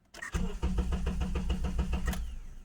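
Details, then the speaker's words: 2009 Honda Accord 2.4 that stalled on the road and was towed: starter cranks evenly about five turns a second, briefly tries, then stops without catching; cranks but won't start. "This is a Honda Accord 2009. It's 2.4. It's cranking but not starting."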